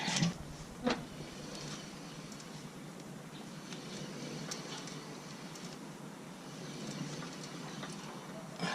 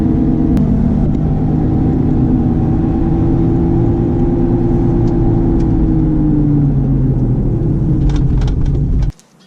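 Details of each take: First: Honda CR-V RD1 front axle raised, wheel spun slowly by hand to find a humming hub bearing: only a soft, even rush with a few handling clicks, so this bearing is healthy. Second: Honda CR-V RD1 while driving: a steady droning hum over road rumble that sinks in pitch as the car slows, from a worn wheel hub bearing; which wheel is not yet known.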